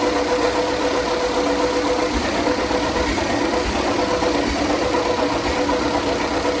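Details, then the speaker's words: Ford 8N tractor under restoration, first start since November after an earlier run of a few seconds while the old pressure gauge was forgotten: catches quickly into a steady, even idle. Normal start and idle. "all right we're gonna try to start it up for the first time since november"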